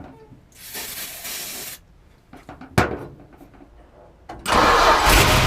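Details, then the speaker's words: 1973 Plymouth Cuda 340 small block, unrun about 20 years, started on starter fluid, fuel pump audible, fuel pressure unknown: fires briefly and dies, then catches and roars up; won't stay running, later traced to the oil pressure line. "I'm gonna go ahead and start this all right so it died instantly obviously as you guys can see that"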